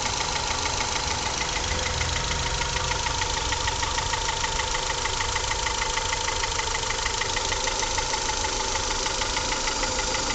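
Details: Honda Accord with F20B engine (CF4): steady idle with a sharp, regular tick-knock about three times a second riding over the engine; owner asks what could be knocking, origin unknown.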